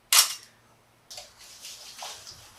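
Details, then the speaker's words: 2005 Honda Rebel 250 probably not run in about 10 years, removed fuel tank shaken: sharp knock then gritty sandy swishes with each shake; loose rust and sediment rattling inside, tank likely unusable. "oh sounds pretty Sandy in there pretty crispy probably not going to use this tank"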